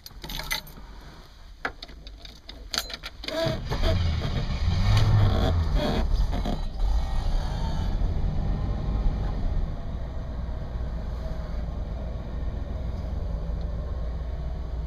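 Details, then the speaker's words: 1967 Cadillac Eldorado: the starter cranks briefly, then the big V8 catches at once and settles into a smooth, even, deep, fairly quiet idle with a slight rumble and no knocks or misses; normal start. "runs runs like a million bucks Buck Drive was like a million bucks"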